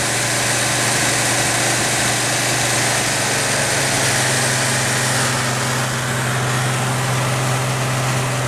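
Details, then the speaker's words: 1970 Pontiac LeMans with a 455 Pontiac V8 after its failed, leaking fuel pump was fixed: low, steady V8 idle with an even rumble and no stumbles or surges; no fuel leaks seen. "we've got idle well it's at least breathing again"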